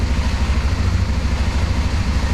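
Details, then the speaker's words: 1994 Honda Transalp 600 V-twin at idle after cleaning carburettors and starter, warming up for a compression test: steady, even low throb with no misses or knocks; runs cleanly. "Daję go trochę żeby trochę zapełnił gaźnik bo wyczyściłem cały rozrusznik i silnik wydaje się pracować dobrze, słychać jakiś hałas bo są miski"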